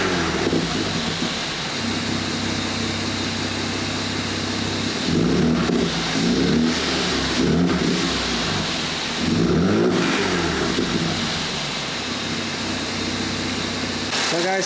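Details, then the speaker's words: Mercedes W205 C450 AMG, M276 engine, warmed up to temperature after cooling system repair: strong clean revs climbing and falling with a throaty exhaust gurgle and light pops on lift-off; engine runs healthy. "wow did you hear that m276 engine raw it it runs fantastic it's got a nice gurgle to the exhaust got a little bit of pop in the"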